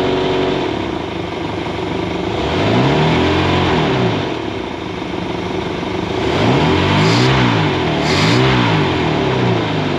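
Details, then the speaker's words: Rebuilt boat engine running on muffs: revs rise and fall with a rough, rhythmic growl from the sterndrive, caused by the drive being trimmed all the way up so the high-speed universal joint binds at that angle. "Well, there's a universal, a high-speed joint there. That's just making a sound."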